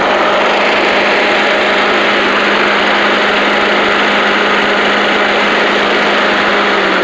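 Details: Old Australian-built Rover Turbothrust mower started, with a working 12-volt generator: loud, steady, even drone at constant speed with no surging or misses; engine runs cleanly.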